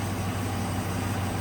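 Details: 2004 Dodge Ram 1500 4.7 V8 idling after a new lifter was installed and the rocker arm refitted: a smooth, low, even idle with no ticking or tapping over the rumble; engine sounds healthy.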